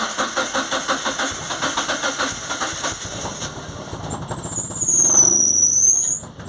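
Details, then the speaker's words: Ford Anglia with Mazda MX-5 engine, wasted-spark coil packs, new coil fitted, scope leads connected: cranks then lumpy uneven run with missing beats and a squeal; running on only two cylinders, 1 and 4 dead. "foreign problems going on over there it's actually running on two cylinders"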